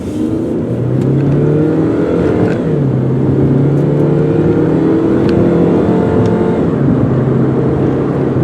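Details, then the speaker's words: 2004 Saturn Ion 2 sedan, 2.2-liter four-cylinder, automatic, test drive to 55 mph: engine note climbs and drops cleanly at each upshift, smooth shifts; faint possible rear tire noise. "Here we are, 55 miles an hour. It shifted nicely through all the gears, and I mean, nice car."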